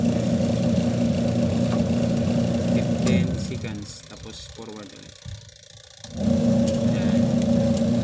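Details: Panasonic 5.2 kg single-tub washing machine, after repair of missing plug and capacitor: even wash motor hum drops away about three seconds then picks up as it reverses; healthy wash cycle.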